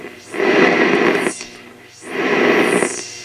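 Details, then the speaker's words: Hammarlund HQ-140X receiver fed a 28.2 MHz test signal: two long swells of harsh static hiss with scattered snaps, crackles and pops through the speaker; cause not confirmed, owner suspects a resistor-capacitor fault as in another HQ-140; crackling and popping audio. "hoping y'all can hear this snap crackling and popping going on"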